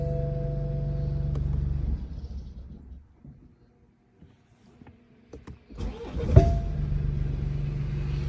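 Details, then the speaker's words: BMW 1 Series F20 engine shuts down, then gives one sharp loud bang at the starter as it fires on restart before settling into a steady idle; banging noise on engine start. "very big very big banging noise coming at the starter you're here"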